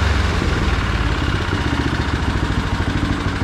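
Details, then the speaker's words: John Deere snow blower small single-cylinder engine after fitting a HIPA replacement carburetor (previous stuck float flooded crankcase with gas): steady even low beat, no misses or hunting, clean shutoff; normal running. "okay so our test run was good so now we're just going to put the rest of the covers back on this thing"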